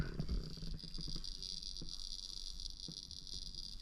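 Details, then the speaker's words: Renault Twingo C06 gauge cluster after it failed while driving (no screen, fuel gauge, speed or clock): faint constant high hiss with scattered crackling ticks like frying bacon; an electrical fault in the cluster suspected. "that whole making bacon sound is not good"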